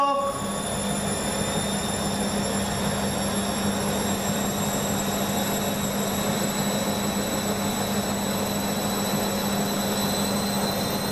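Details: Beko washing machine, full load of dark clothes, Ariel cap detergent: steady, even motor hum through a long spin with faint sloshing; machine spins on through a suds lock without emergency rinses.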